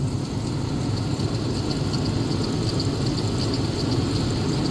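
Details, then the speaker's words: 1999 Dodge Durango SLT, sat since 2009, warming up after HVAC box removal and reinstall, temperature rising, thermostat not yet open: steady, even low idle with smooth unbroken rumble, no knocks, ticks or hunting; sounds good, normal idle. "but sounds good it's running okay"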